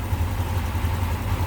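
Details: 2021 Honda Wave 110i, idle: the single thumps along but the beat wavers up and down unevenly, surging and dipping as if about to stall; unstable idle.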